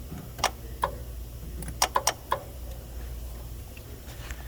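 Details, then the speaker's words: 2012 Hyundai Santa Fe AC compressor manually powered via relay socket, phone near engine: sharp, uneven metallic clicks over a low hum as compressor clutch engages normally; no engagement would indicate a failed compressor. "hopefully you were able to hear that clicking sound that's the sound of the ac compressor clutch engaging"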